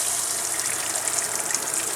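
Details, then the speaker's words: Camper shower after fix (new Surflo 4008 pump, inline strainer): strong steady water hiss with no sputter or surging, where flow was barely coming out before. Normal full-pressure flow. "beautiful water coming out now unlike before it was barely coming out at all so I'm getting tons of pressure"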